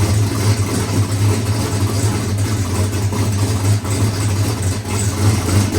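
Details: Boosted big-block Chevy race engine after timing-chain failure repair with new cam: deep, steady V8 rumble with even firing and no knocks or rattles; healthy running after rebuild.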